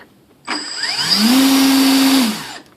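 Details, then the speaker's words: Volantex/Lanyu ASW-28 V2 sailplane on the bench with a replacement ESC after brake setup through stick programming mode. Whine rises, holds, then stops within a fraction of a second: the brake is working normally, with no timing issue. "your brake see I okay if you have breaking this thing will operate a hundred times better"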